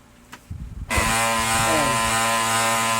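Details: Brother DCP-L2540DW laser printer (also MFC-2700/MFC-2740DW gear noise): steady buzzing whine with rough gear edge, starting abruptly and holding even; drive gear noise in the printer.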